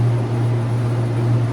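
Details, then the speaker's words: Used heat recovery ventilator (HRV), formerly from a chicken barn and pressure-washed, newly installed in a wintering room as continuous minimum air exchange; loud steady low hum with even airflow rush, no rattles or scraping, normal but noisy running. "So let's click it on and we'll see what it sounds like. It's a noisy thing."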